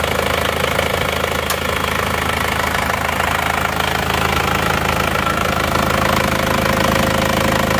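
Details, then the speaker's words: Isuzu Panther 2.5 diesel, first cold start after rework, with liners and sleeves thought to be previously replaced and non-original: steady, even clatter with no irregular knock or miss, not too rough; healthy. "ternyata mesin juga tidak sebegitu kasar walaupun kondisi mesinnya menurut saya linernya sudah gantian seker juga sudah bukan orinya"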